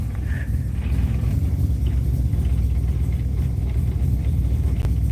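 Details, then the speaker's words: 1995 Mazda RX7 rotary, cold first start after months sitting all winter, smoking heavily front and rear: low, lumpy rumble stumbling and surging with no steady beat; running very rough, cause unknown, owner wonders about leaked coolant. "why oh I just ran something over this is running so bad"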